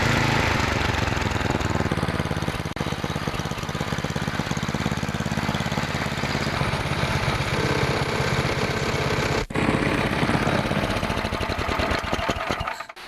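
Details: Tecumseh snowblower engine after throttle linkage repair: small single holds a steady even beat at constant speed, no misses or knocks; normal running.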